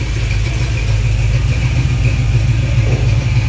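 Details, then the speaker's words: Small block Chevy 350 (355 ci, forged flattop pistons, 9:1, mild Comp cam, headers) on run stand, about 140°, 50–75 psi oil pressure; deep steady V8 rumble, even firing, no knocks or ticks — normal running. "runs like a dream I mean it'd be great for any kind of street application mild hot rod"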